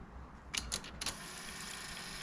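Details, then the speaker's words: Onkyo 470 dual cassette deck after belt replacement: three quick mechanical clicks then steady hiss as auto-stop trips at end of tape; normal. "that was the end oh don't play with me like that don't play with me like that that was the end of the tape"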